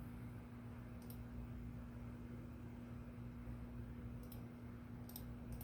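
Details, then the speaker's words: Sears/Lasko Turn of the Century 52-inch ceiling fan, model 453-115500, on a solid-state SCR speed control drawing 0.22 A at low speed: faint steady mid-pitched hum over a quiet room, mild and not terribly loud. "There we go. We're moving at 0.22. I can hear a little bit of hum from it already, but not terribly. Yeah."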